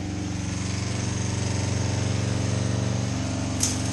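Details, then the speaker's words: 2005 Kawasaki Ninja 250 twin after rebuild with cleaned tank, filter and carbs, now firing on both cylinders; putters along at a fast, even idle, steady with no misses; running a little high: high idle. "Sounds like it's running a little high now."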